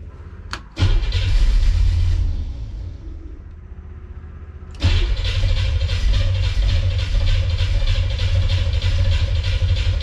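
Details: 1957 with FiTech injection after a replacement Pertronix distributor module, timing not yet set: steady starter churn at about four beats a second, never catching; it fires only when fuel is dumped down the throttle body, and battery voltage is erratic.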